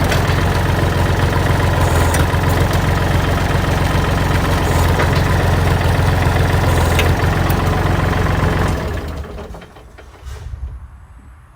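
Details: Used Kubota L3408Di diesel tractor, shop-reconditioned, front axle and gearbox good: firm, even diesel clatter at steady idle for about nine seconds, no misses or knocks, no white smoke, then clean shutdown; normal healthy idle.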